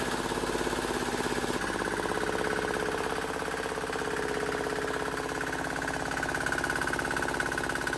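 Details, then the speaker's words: Cheap Chinese small diesel swapped into a Wheel Horse 314H tractor, after a no-start diagnosis and priming: even, steady diesel clatter at constant idle with no misses or stumbles; normal running. "I hell yeah man has this thing been a struggle I'm so glad to hear that thing run"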